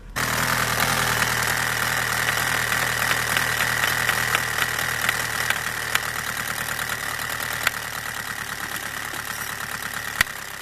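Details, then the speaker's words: Old TDI 90/110 hp with rotary injection pump, cold, in rain, after adjusting pump fuel quantity: even steady diesel idle, regular clatter, no misses or hunting, injected quantity 2 mg; owner suspects a cracked pump ring, pump still weak. "widzicie jesteśmy chodzi ładnie dawka widzicie 2 mg gazu pięknie gasimy jak pali fajnie"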